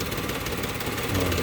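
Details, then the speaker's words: Used 2016 car, odometer reading 67: steady, even idle with a soft regular hum, no knocks, misses or stumbles; engine described as very smooth. "Dan untuk mesinnya sangat-sangat halus ya. Mesinnya sangat halus."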